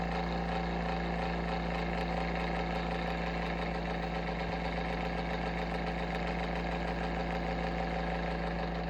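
Constant low droning hum with a fluttering buzz riding on it, unchanged throughout; the fan motor sounds off, cause unknown.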